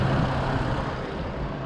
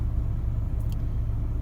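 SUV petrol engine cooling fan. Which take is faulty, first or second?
first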